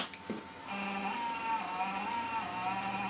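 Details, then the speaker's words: PC power-on with Maxtor 40 GB hard drive: after power click, steady high whine wavering slightly in pitch as fan and drive spin up; ordinary startup noise, boots and finds the hard disk. "don't worry about that noise it's completely normal there it is booting up it's found the hard disk"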